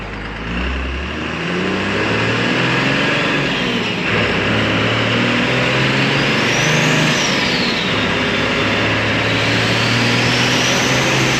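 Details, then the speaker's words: Custom Ford F-550 with a Cummins diesel swap and compound turbos, on its first test drive: a strong, even pull rising smoothly through the gears with no knocks or whines. Normal running under load. "said land speed record she's a break train dud this thing runs good"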